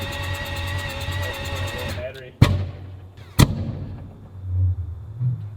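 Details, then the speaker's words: AWD 4-rotor rotary converted to E85 and in dyno tuning prep: the engine revs hard and then lets off, followed by two sharp exhaust cracks about a second apart, a backfire on deceleration that is suspected to come from deceleration fuel cut. "Deceleration fuel cut, what does that do? When you rev it and then let off. And Well, that's probably why it's been banged."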